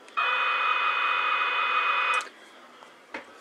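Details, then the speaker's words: Cherokee CBS-1000 CB radio transmitter on external DC power, power supply bypassed and many capacitors replaced: steady hissy buzz with fixed whistle tone on the carrier while keyed; transmit noise, cause undetermined, earlier bias readjustment only temporarily cleared it. "regards transmitter well less yet to be determined but but this is what it sounds like on transfers"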